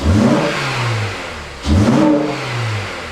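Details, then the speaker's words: Acura TSX at start-up right after fitting a new exhaust sealed with gasket sealer, checking for leaks: two clean quick revs with audible intake noise, no ticking, puffing or rasp; check engine light still on, but it sounds like a normal car. "Yeah! Dang, man, it sounds like a normal car. You can hear the intake."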